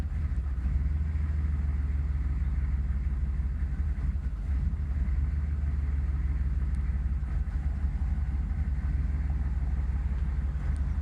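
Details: 1996 Chevy 6.5 turbo diesel idling with a deep, uneven rumble, its beat wavering instead of holding steady; the roughness stops when throttle is held slightly up.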